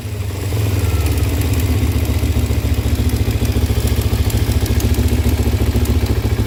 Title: Ninja 250 ticking sound?